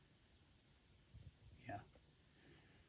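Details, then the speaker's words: 1995 Chevrolet Impala SS (LT1) cooling fan motors removed with the radiator: one fan motor squeaks with faint mouse-like chirps as it turns. The owner suspects it is going out soon, like another one that failed completely. "plugs are of course the same but if you get them out and they squeak like little mice i don't know if you can hear that or not"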